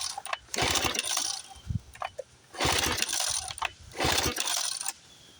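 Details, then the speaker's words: 1976 Johnson Seahorse 9.9 outboard, 30+ years in a garage, choke on, in neutral. Three hard pull-cord yanks with a rattling whir, never catching; owner suspects no fuel reaching it, carburetor float blamed, and the carburetor is pulled next. Choke rod later found out of its slot. "okay I don't think she's getting fuel pump it up some more carburetor float guaranteed try it again"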